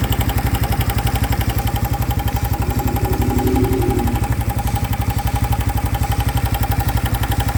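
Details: New 2025 Honda Biz engine idling after showing a new noise following acceleration to under 70 km/h: steady, even thump about four per second; no clear fault noise stands out.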